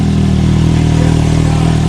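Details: Repaired smashed Can-Am X3 XRS running through a heat cycle after cooling system work: smooth, steady engine run at constant speed with even pulse, no clatter or knocking; normal running.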